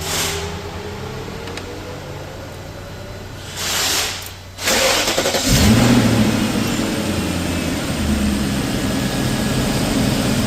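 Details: BMW M62 V8 cold start after timing chain guide and VANOS repair (broken guide had caused a big rattle): cranks briefly, fires and settles into a steady, even cold idle with no rattle.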